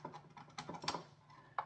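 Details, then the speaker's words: Nerf Blaster Scooter that no longer fires: irregular crackling, crunching clicks when pressing a corroded switch on the board, suspected as the fault. "you can hear like the corrosion crackling crunching when you push it down so that's definitely an issue if not the issue"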